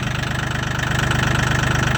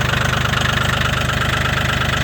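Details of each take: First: Mahindra 1635 HST cab tractor, 35 hours, cold start at −22°C (windchill −27°C) after about 1.5 hours plugged in, white smoke: steady, quick, even diesel chug with no knocks or misses; runs a little rough but a normal cold idle. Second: Mahindra 1635 HST cab tractor, 35 hours, cold start at -22°C (wind chill -27°C) after 1.5 hours plugged in: loud hard diesel clatter just under three knocks a second, slightly unsteady; started right up but rough cold idle.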